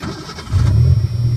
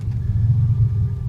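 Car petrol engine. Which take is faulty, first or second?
second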